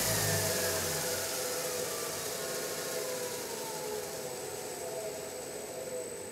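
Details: DIY CNC mill spindle with a new Marathon Y551 motor on a DURApulse GS20 VFD, run clockwise up to 100% speed; smooth, steady high whir with a faint high tone and no knocks or grinding. Normal.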